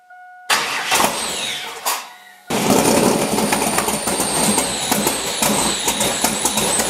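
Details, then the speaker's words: LS7 V8 in an S10, quick garage fire-up with new IAC log and air horns: brief cranking, catches into a lively lumpy idle with even pulses; starts and idles fine. "But this thing sounds totally different than it did with the other setup. You hear real loud pops, but it's out each bank. It's not just one bank."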